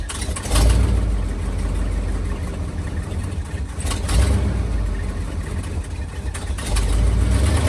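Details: 1978 Ford dump truck cranking after a new starter, new starter solenoid and new battery cable: quick, lively, brisk turning over, then loud running with surges; fastest it has cranked in years of slow starting. Normal cranking speed.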